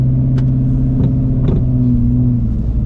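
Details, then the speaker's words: 800hp supercharged Ford Shelby GT350 on its first drive after new suspension and a switch back to stock springs from Ford Performance lowering springs. Dull, isolated knocks over bumps come from the front suspension; the owner suspects the springs aren't seated or need to settle. "guys probably heard that I don't know what that is um I've been trying to go ahead and track that down um I'll find out probably on Monday or Tuesday what that is now it's in the front of the suspension"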